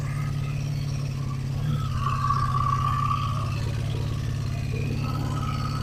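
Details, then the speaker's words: 1985 Honda Magna V30 V4, first start after carburetor rebuild, tank repair and ignition bypass: uneven, loose lumpy idle with clattery top end, sounding worse than before the work; rough running, valve chatter suspected. "It sounds way worse than it did the first time I started it before I worked on it."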